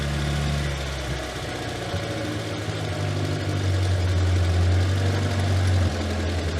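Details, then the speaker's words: Morris Minor unused nine years, rescued from scrapyard, first start with choke then backed off: steady even low four-cylinder thrum, no knocks or misses, exhaust slightly fruity; normal smooth idle. "that's amazing that sounds sweet as a nut even the exhaust come around the back okay maybe the exhaust sounds a little fruity a little bit fruity"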